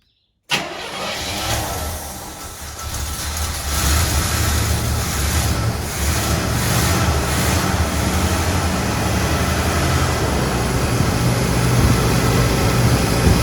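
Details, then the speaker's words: 1981 Chevrolet Corvette Turbo barn find, idle after rebuilt carburetor, new plugs, filters, oil, radiator and hoses: starts after brief crank, smooth even idle, no misses or knocks, good throttle response; small valve cover leak noted. "okay guys so she's purring like a kitten the throttle response is very good now with this cabaret tea being rebuilt"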